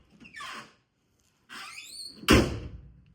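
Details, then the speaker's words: Car door closing on the old door bushings, before replacement: one heavy, hollow, dull thud rather than a crisp latch; owner judges it not good, worn bushings suspected, not confirmed. "yeah let me get the better better audio settings sounds kind of dull"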